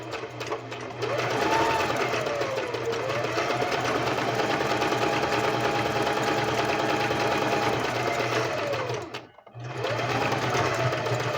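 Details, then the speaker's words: Singer sewing machine stitching after its routine 6-monthly cleaning and maintenance: smooth, even whirring stitch rhythm at steady pace, a brief stop, then runs cleanly again; healthy, well-oiled, normal stitching. "You hear how it purrs?"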